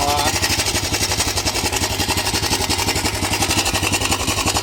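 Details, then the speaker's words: 2008 Honda Recon ATV, first run after sitting 15+ years, still cold and needing choke; a fast, uneven idle with a steady chattering rattle over the beat. Source unknown; owner wonders if something is dragging. Abnormal running noise. "don't know what that noise is, either. I don't know if something's dragging or I don't I don't know what that noise is"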